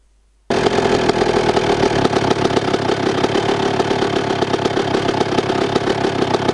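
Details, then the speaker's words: Restored 1998 Honda CR125 two-stroke motocross bike with FMF exhaust, kick-started: fires at once and holds a steady crackly two-stroke buzz with even beat; normal idle. "Et puis bon, je me doute que vous voulez écouter le bruit que ça fait en fait, avec le petit FMF là au derche là, hein?"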